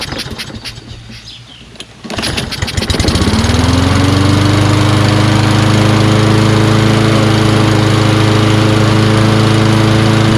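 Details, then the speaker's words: Engine after sitting an hour to cool, with the choke closed automatically: rough pulls, then it catches and settles to a steady run, needing two or three pulls. A carb clean is suspected, possibly the valves. "looks like it may just need a carb clean because the primer circuit takes two or three pulls to start could also be the valves you know what i mean but uh it starts after two or three pulls"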